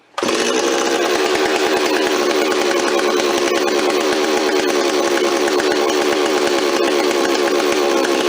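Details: Rebuilt Stihl 026 two-stroke chainsaw, parts saw restored with aftermarket parts, first run on fresh high-octane fuel with no bar or chain fitted: steady high-pitched buzz at constant speed, smooth and even, no misfire or surging; normal running.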